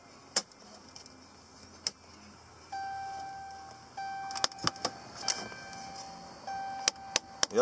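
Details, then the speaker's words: 2009 Dodge Ram 1500 Crew Cab Laramie, ignition on: small actuator motor whirs in short runs with sharp irregular clicks as it skips teeth, turning clockwise, stopping and reversing; the heater blend door actuator is trying to adjust the door for the automatic system, gears worn/stripped. "where if you turn on the ignition, you get a distinct clicking sound. Which sounds something like this. Which is pretty much the actuator trying to adjust the blend door for the automatic system, and because the gears are worn o"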